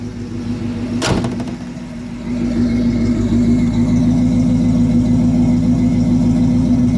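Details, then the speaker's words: 1971 Buick Skylark, stock carbureted engine with Edelbrock 1406 carburetor, adjusted for cooler mid-October weather, start: cranks once and fires right away, then steady even idle, no vibration; normal start and idle. "the idol smoothly the whole car should feel in a smooth like I'm not feeling any vibration coming through this whatsoever"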